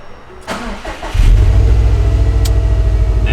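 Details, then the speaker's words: 2018 Subaru WRX STI, first start after a Deatschwerks fuel pump install, cold weather: brief starter cranking, then it catches on the first try and settles into a steady, even idle; normal engine start. "Okay, go ahead and try and start it."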